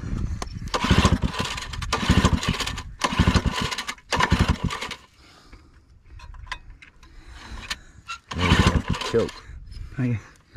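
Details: Old scrapyard-found generator, unsure how to prime it; repeated one-second pull-cord cranking bursts with gaps, never catches; cranks but won't start, cause not confirmed.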